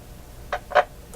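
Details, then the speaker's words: Westinghouse 1398 AM/SW/FM tube radio, FM band after replacing three weak FM tubes, volume high: two sharp crackles then a faint tick over low hiss, absent on other bands; suspected different variable capacitor section, FM needs more work. "so that crackling which is not apparent on the other bands I think indicates we're using a different different uh section in the uh variable capacitor"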